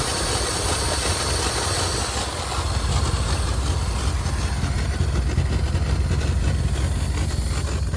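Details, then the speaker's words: 1980 Lincoln Continental V8 from a boneyard, first start: loud, uneven idle with ragged chuffing and heavy rumble; owner suspects a vacuum leak with air cleaner disconnected, or a plugged exhaust; no fuel from factory fuel pump. "I know we've got to have a vacuum leak somewhere because the air cleaner's disconnected that might be why it's running a little rough"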